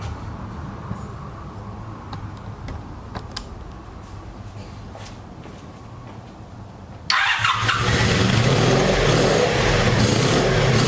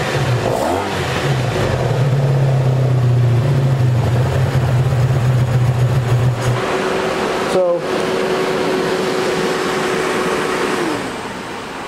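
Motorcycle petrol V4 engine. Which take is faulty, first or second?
first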